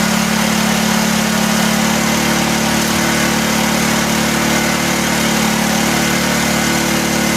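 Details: 1984 Honda EM600 generator on a cold start: steady, high-pitched, even drone that never settles lower. Engine overspeed, possibly a stuck governor linkage; the fine-tune adjuster knob did little, and a throttle issue is suspected.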